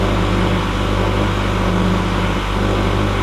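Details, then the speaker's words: Ford F-450 after a dual-battery install: steady, even electric hum with low buzz as the under-hood vacuum pump builds vacuum in the empty pressure tank; normal vacuum pump operation. "That noise I heard running was the vacuum pump uh under the hood. It's um uh so it built vacuum in the in the pressure tank cuz it obviously had none."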